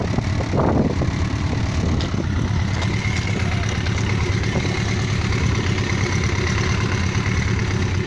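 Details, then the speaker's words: Yamaha XJ900S Diversion motorcycle after curing a misfire blamed on ethanol supermarket petrol: smooth, even low burble idling at about 1000 rpm with no stumbles or dropouts, a clean, steady tickover. "ah so there we are the tick over his nose over just just to bang on a thousand which is just where i like it and look at that purring like a kitten after three months i've got my bike back"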